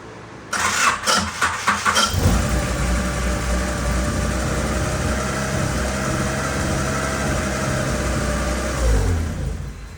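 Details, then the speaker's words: 1989 Honda CRX Si project car starting up: cranks, catches with uneven throttle blips, then settles to a slightly lumpy idle, sounding a little misfiery at first before cleaning up; an exhaust leak toward the rear causes spitting and sputtering. "what's that about oh sounded a little misfiery there is that a word misfiery"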